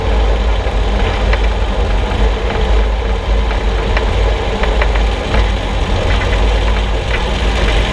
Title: Suspension Noise 6Nov16 [loud]